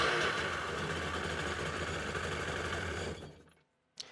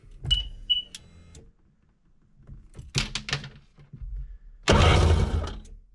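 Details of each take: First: 2003 Sea-Doo GTI RFI two-stroke, rear cylinder plug wire disconnected and grounded, spark present: rough, uneven drone for three seconds then dies; unchanged with plug off, one cylinder dead. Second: 2003 Sea-Doo GTI RFI two-stroke, key on during fuel pressure test: after a few clicks, a steady low electric hum for a few seconds; fuel pump priming normally, about 55 psi, within 55–60 spec.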